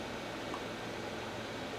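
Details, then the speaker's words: FreshBlender CIP pump during troubleshooting, with the fitting loose and a cup underneath to prime it: steady motor hum and hiss with no splash or flow. The pump is running but not priming; it must be replaced if no water comes out. "I am going to turn on the CIP pump, and if we can hear it run, we should be able to prime it through this opening here."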